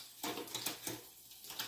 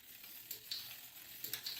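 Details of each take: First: Fuji SL road bike with 12-speed Shimano Ultegra Di2, rear derailleur just adjusted: a few light, crisp shift clicks with no chain rub or grinding. Normal quiet shifting. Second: Fuji SL road bike with 12-speed Shimano Ultegra Di2, the rear derailleur deliberately moved inboard during adjustment until it rubs a cassette cog, giving light, uneven high-pitched ticking about once a second as the cranks turn.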